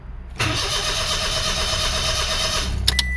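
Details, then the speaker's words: 2005 Toyota Passo intermittent no start, scope on coil ignition control and power: steady starter churn about 2.5 seconds without firing; cranks but won't start, owner suspects the ECU not grounding the coils. "this is an ECU issue something is up with our ECU why is our ECU not completely grounding these coils"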